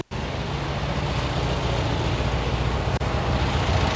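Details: 1971 VW Squareback air-cooled engine with new valves and 40mm carbs, hot start after running: catches almost instantly and settles into a steady, even idle with no misses or knocks; healthy hot start.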